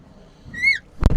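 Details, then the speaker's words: Reliant Robin Mark 2 21st anniversary edition before any work: a single rising and falling squeal lasting a third of a second, then the door thuds shut; typical squeaky, dry door hinges. "It has the typical squeaky door hinges."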